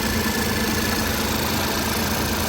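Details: Dirty Hyundai at a salvage auction; no transmission dipstick found. Steady, even idle with a low rumble and no misses or knocks; it seems to run relatively well: normal idle.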